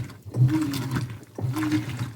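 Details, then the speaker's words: 2011 Whirlpool Cabrio Platinum (WTW8200YW0) top-load washer with Fisher & Paykel direct-drive motor, bearings and basket drive replaced, agitating a towel load: short sloshing strokes with smooth rising-falling motor hum, no grinding; normal direct-drive agitation. "that's why these have a unique sound because it's not a belt drive. It's a direct drive Fisher and Pel motor."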